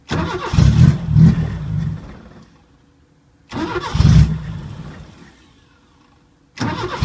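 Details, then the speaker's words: 1980 Chevy LUV that sat for years, vacuum line plugged, anti-dieseling solenoid reconnected: catches with a rough burst, sags over two seconds and dies, repeats; won't idle, suspected air leak or trashed carburetor. "well i think the only way we're gonna get it to run a little better is maybe take the top off the carburetor"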